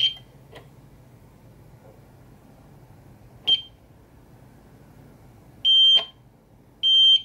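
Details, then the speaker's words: APC ES525 UPS after teardown and repair, batteries reconnected: high-pitched chirps a few seconds apart then longer half-second beeps, alarming on battery because no AC input power is detected. "okay well it's saying that there's no power but it appears to be working"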